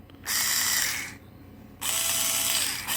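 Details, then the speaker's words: Two bursts of high, raspy gear whine settling as it spins up, from a new Parkside PAS 4 D7 cordless electric screwdriver running free in forward; stranger and grindier than in reverse, rough noisy reduction gears. "Jest taki dziwniejszy troszkę dźwięk niż na wstecznym. Na tym normalnym dokręcaniu jest taki dźwięk, jakby to chciało troszkę zgrzytać, ale zobaczymy, jak to się w praktyce będzie miało."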